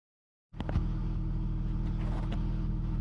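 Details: BMW E39 520i six with original ignition coils at 179k km: catches and settles into an uneven, chuffing low beat with a skipped-pulse stumble; misfire from failing coils.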